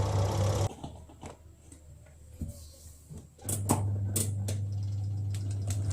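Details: Twin-tub washing machine spin dryer after the shaft bolts joining the spin shaft to the tub were tightened to cure its squeak: a smooth, even low drum hum with no squeak and a few handling clicks; now quiet.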